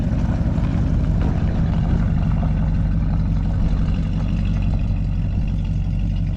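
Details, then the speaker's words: 1973 Chevrolet Chevelle Malibu V8 idling after fuel pump fix and fuel gauge repair (had run out of gas, damaging the electric fuel pump); deep, even burble with steady rumble, no knocks or stumbles, running well before a road test; normal idle. "seems to be running pretty good so he's going to take it for a little road test and give us the final verdict when he gets back"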